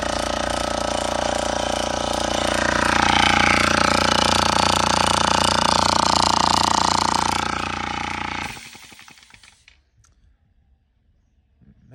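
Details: Oil-less air compressor: fast even chatter near three per second over a harsh rattling pump, then it shuts off; worn compression rings are the probable cause.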